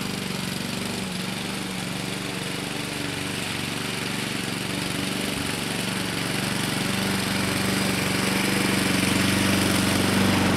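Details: 2014 Husqvarna HU700F self-propelled push mower, Honda GCV160 engine, after a carb clean: even, rapid putter with a steady beat and slight rise in pace, no surging or misses; runs smoothly.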